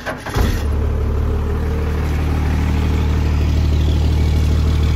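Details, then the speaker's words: 12-valve diesel truck with swapped 48RE transmission, next-day start after repairs: catches within half a second into steady, even diesel idle, no misses or knocks; starts well, normal start and idle. "this thing starts very well all right we got it out of its hole this thing runs and drives fairly nicely"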